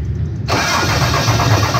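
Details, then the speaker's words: 5.9 Cummins diesel truck starting for the first time after a FLUX 100% injector install: the starter catches and the engine settles into a smooth, even idle with no knocks or misses, running on a rough temporary tune. "sound good thoughts sounds like a motor sounds like an engine good deal yes it does"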